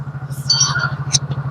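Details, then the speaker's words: Yamaha Mio J scooter with original engine block and valve clearance set at 15/20, idling with the exhaust fitted after rebuild: even low putter about twelve beats a second, steady with no ticks or knocks; very smooth normal idle, smoke cleared. "halus banget normalan pun normal ini saya kasih Padahal saya kasih 1520"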